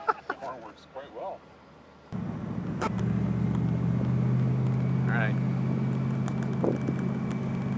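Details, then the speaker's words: Barris Kustom convertible: steady low two-note horn blast over the running car, no crackle or fading; horn works normally. "I wonder if the horn works. Yeah. Oh yeah."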